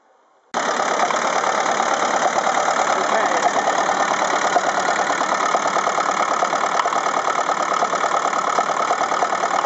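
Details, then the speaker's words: Cold Ferguson TEF-20 four-cylinder diesel tractor starts and idles with an uneven, lumpy clatter; laser thermometer on the exhaust stubs shows number three cylinder not firing; injector nozzle to be replaced. "okay so that was pretty conclusive proof that this number three cylinder just isn't running the other three are firing fine"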